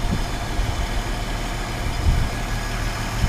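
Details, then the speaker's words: Restored 1950 Chevrolet 3100 pickup with its original six-cylinder engine and transmission, well maintained: soft, even low idle with a steady beat and no ticking, misses or rattles. Quiet, healthy engine. "Again, listen to that engine, very quiet, very nice vehicle."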